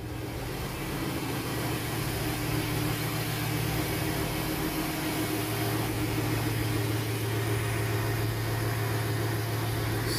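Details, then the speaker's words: 2007 Jeep Grand Cherokee 4.7L V8 after replacing throttle position sensor to cure idle dipping and surging: steady low even hum with no dips or surges; normal idle. "Sounding good, just fine. A lot better, but time will tell."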